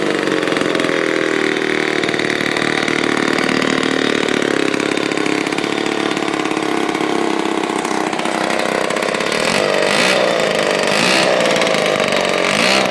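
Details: 1949 Lombard one-man chainsaw, Homelite-powered two-stroke, rebuilt with all-new internals after being seized, first start: steady high-pitched buzz, even firing, no misses or stumbles; running healthy.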